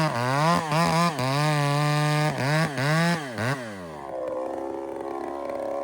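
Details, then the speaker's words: Old spare chainsaw with a homemade header-pipe can muffler: revs surge and dip erratically while bucking a big log, then fall to a ragged idle; owner suspects an air leak. "You hear that saw's acting right up. E, it's got an air leak somewhere."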